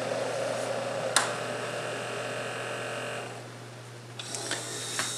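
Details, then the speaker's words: Keurig K-Cup brewer making its second cup, its mechanical pumps audibly running: low steady hum with faint whirring and a few clicks, quiet and even; pump running normally. "and then in addition to that again you've got the two pumps whereas and those pumps are actual mechanical pumps you can hear them running"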